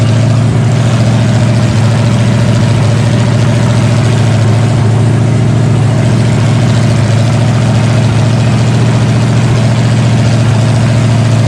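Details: Freshly rebuilt 454 Chevy big block V8 with new pistons, from a 1973 Chevelle SS 4-speed, on a break-in stand after break-in: deep steady rumble holding an even fast idle, no knocks or ticks; normal healthy running, fine tuning still to do.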